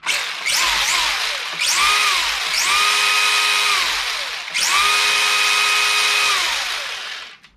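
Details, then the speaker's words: Vintage Schumacher Mi1 RC touring car after complete overhaul, first run: bursts of high whine rising and settling with throttle, even, no grinding; slight bind at one point of the spur gear, should improve as it beds in. "You can hear a little bit, there is a little bit of bind, like I said, at one point of the spur. So it's not quite as sweet sounding as it will get when it beds in, but it's pretty good."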